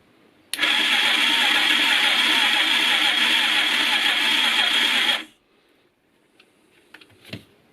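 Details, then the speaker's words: Motorcycle engine on a workbench cranked by its starter motor through battery, solenoid and start-button circuits, ignition not connected: about five seconds of steady whirring crank with a fast, even chug, turning over freely without firing; normal cranking. "the engine will not start because this can not connect it to the ignition but we should see the hear the engine turning over"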